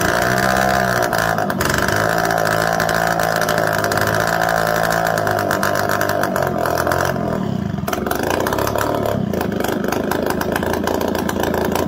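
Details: Suzuki LT80 quad, relay bypassed with a jumper: small single fires and holds a steady buzzy run with slight pitch wander; running fine, carburetor fine tuning pending, air box and exhaust off.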